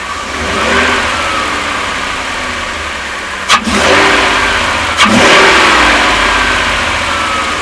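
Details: Van engine with doghouse removed: sharp hissing suction on hard throttle instead of smooth acceleration, with a lopey low idle; vacuum leak suspected, checked next with a smoke machine.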